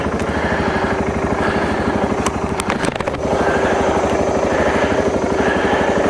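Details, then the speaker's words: 2012 BMW Sertao G 650 GS single, about 3,150 miles, cold at 40.9°F, recurring starting issue (6th time): steady chugging about three turns a second, never catching; cranks fine but won't fire, cause unconfirmed (decompressor lever suggested). "She's in a I don't want to start mode."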